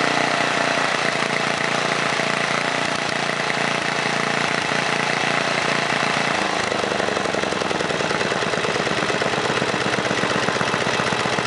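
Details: 1978 John Deere Tecumseh HM80 8 hp 318cc single-cylinder engine, formerly on a snowblower, restarted: settles into a steady, even putting idle with no misses or knocks, running cleanly and healthy.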